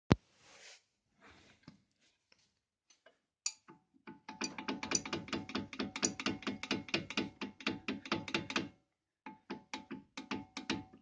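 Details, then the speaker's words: Opel Astra J brake calipers, replaced under warranty at the dealer, still rattling: quick bursts of hollow metallic clunks, about two per second, in rough clusters with pauses; the new caliper brackets did not cure the rattle. "так брякает суппорт после замены у дилера типа новые скобы должны устранить фиг вам фиг нам как гремела так и осталось"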